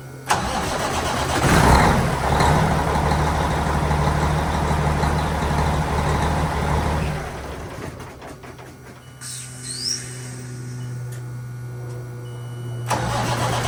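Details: Cummins-powered truck cranking steadily at about three beats a second for several seconds after a new starter was fitted; starter turns the diesel, firing unclear.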